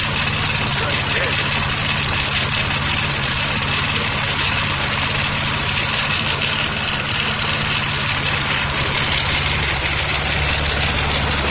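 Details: Toro 6.5 hp lawnmower with Tecumseh engine, fitted with a cheap aftermarket China carburetor and new spark plug: small single-cylinder drone holds steady and even, with no misses, hunting or knocks; runs smoothly.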